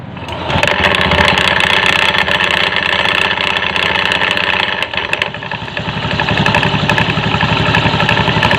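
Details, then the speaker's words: Honda Beat FI automatic scooter CVT, just after engine start at idle: uneven, clattery rattling knock from the belt side that disappears from mid RPM upward; worn front CVT pulley suspected. "Tapi nanti kalau RPM Tengah ke atas itu enggak bunyi ya ini kira-kira poinnya diperiksa hampir mirip"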